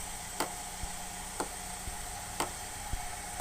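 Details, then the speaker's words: 2010 Chevrolet Cobalt 2.2L 5-speed manual with codes P0446 and P0452, idling, heard from underneath while the scan tool commands the EVAP vent solenoid: crisp clicks about once a second; vent solenoid working normally. "come underneath the car you can hear it clicking on and"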